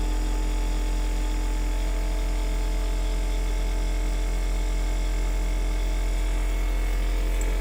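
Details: Tiny-house rainwater PEX (RV-style) plumbing: pump switched on to pressurize the line but nothing comes through; constant low electric hum with no surge or pulsing of flow, pump running without delivering water, cause unknown.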